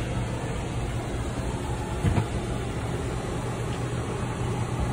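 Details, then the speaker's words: 2012 Surveyor 304 travel trailer slide-out extending; steady, even low motor hum with no grinding or straining, then a couple of clicks from the motors at full extension; normal slide-out operation. "they only has extended completely on this get a couple of clicks from the motors letting you know that they've reached their full extension"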